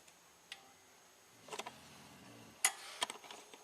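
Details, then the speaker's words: 1998 GMC Sonoma with EGR position codes P0404/P0405 and a cheap aftermarket EGR valve, during a scan-tool actuator test commanded from 20% to 100%: a few sharp light clicks as the valve steps. Normal EGR valve operation. "Yep, 20%, 30%, 40, 50, 60, let's go all the way. Seems to be working just fine."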